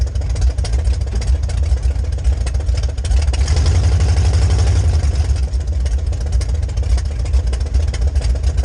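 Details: 1966 Chevy C10 rat rod with rebuilt carb on test drive: low rumble surges and sags unevenly while driving; pressure fine at idle and cruise but weak fuel pump can't refill carb bowls, resembling ignition fault.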